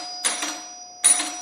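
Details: Single-stroke electric bell working on make-and-break coil principle: two crisp single dings about 0.8 s apart, each ringing clean and dying away quickly; bell striking properly with gap set so gong rings freely.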